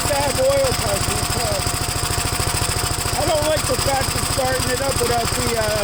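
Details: Gravely single-cylinder engine at first start after gas tank install and new battery terminal: quick putter, a little uneven and rich-sounding, running on full choke; choke later turned fully off and it runs all right.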